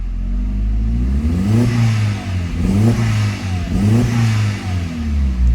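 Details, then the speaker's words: Mk4 Jetta 1.8T with replacement USDM block, sat 3 years, very old gas, blow-off valve audible; repeated uneven revs with slight stumble as throttle first opens; breaks up at bottom on tip-in, possibly from a leak, unconfirmed. "Sounds good. It's just at the bottom when I first hit it, it's kind of breaking up."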